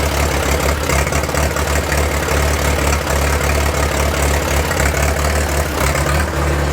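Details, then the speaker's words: 1943 Case SC tractor after years of sitting, first run after spark fix, given a little throttle: low, uneven thumping idle with irregular beat over heavy rumble; owner unsure if a miss or fuel mixture, suspects mixture. "I gave it a little bit of throttle and she stayed running sounds a little rough I'm not sure if I got a miss or if it's just fuel mixture"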